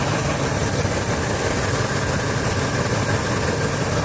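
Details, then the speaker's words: Ford Expedition 4.6 V8 after new ignition coils fixed cruising misfire/jerking: steady, even low-rumble idle with no stumbles, running smoothly. "finally rain is over and the engine is running really smoothly even at idle I've noticed a difference"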